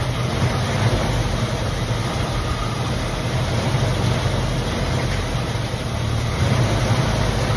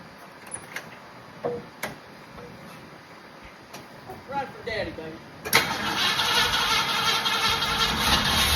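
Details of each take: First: 1965/66 Mustang 289 V8 barn car, first start after sitting for years, hot 95° day: deep, steady even idle, no knocks or misses; runs well despite coolant leak at thermostat housing. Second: 1966 Ford Mustang 289 V8, sat unrun for years, tried with a battery and starting fluid: knocks, then several seconds of steady cranking without firing. No fuel drawn to the carburetor yet, checked at the clear fuel filter.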